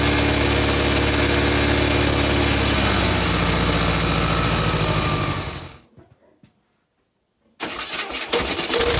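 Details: VW Beetle air-cooled flat-four under restoration, after alternator smoke repair, coil connected by touching wires: steady rumble winds down and stops, then fires straight back up and idles evenly; moisture steaming off, belt tension uncertain.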